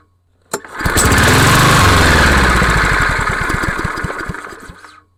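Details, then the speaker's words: Craftsman (MTD) lawnmower with PowerMore 140cc engine that starts and dies: catches with a pop, surges briefly, then slows into spaced chuffs and dies within seconds; carburetor problem, carb clean planned. "So, yeah, as you can see, definitely has a carburetor problem."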